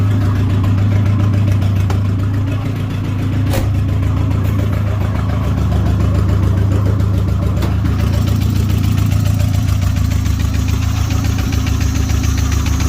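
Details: Nissan Hardbody turbo build (stock internals), engine hot fast after no coolant came from the radiator: idle with faint irregular tapping through the exhaust drone and a brief rev; abnormal hot-engine knock, cause unknown.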